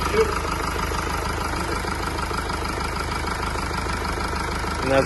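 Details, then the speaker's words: 2017 Mercedes E-Class W212 with 654 diesel engine, 153,000 on the clock, first start after rocker arm job fixing engine knocking noise: steady even diesel clatter at idle, smooth low rumble, no knock or tick; running healthy. "see it's running sweet now as you can see it's running very sweet now"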